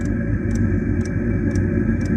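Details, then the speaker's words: Chinese diesel heater after tank swapped back to chase suspected fuel starvation, new exhaust fitted: steady combustion roar with light even fuel-pump tick about twice a second, no stumbling; running smoothly, starvation possibly overcome. "That sounds better. So we might have overcome the fuel starvation."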